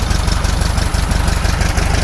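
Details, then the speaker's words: 1965 VW Beetle air-cooled flat-four, 55,000 miles, after partial rebuild with new pistons and rings and a tune-up: steady, even low idle beat with no knocks or misses, running great: normal idle. "Running great."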